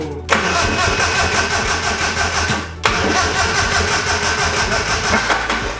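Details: Engine after finger compression test reading 100, timing in question: two bursts of fast, even cranking with brief attempts to fire, never catches; cranks without starting.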